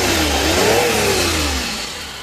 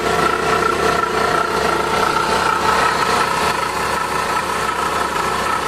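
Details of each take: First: Suzuki DA64V K6A non-turbo engine revs smoothly and settles back, no knock, whine or grinding, after water pump, oil sender, alternator belt and air filter replacement and radiator cleaning for overheating. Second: Suzuki DA64V K6A non-turbo at idle: loud constant high whine and rough growl from worn water pump; also losing coolant, dirty radiator, overheating.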